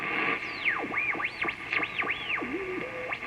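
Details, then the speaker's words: Midwest tube radio restoration, second AM radio beside it while the set's dial is tuned: whistle sweeps up and down in pitch, showing the local oscillator is running; no squeal would suggest a bad converter tube. "that's the local oscillator in here affecting that radio so that tells me that tells me that the local oscillator in here is running"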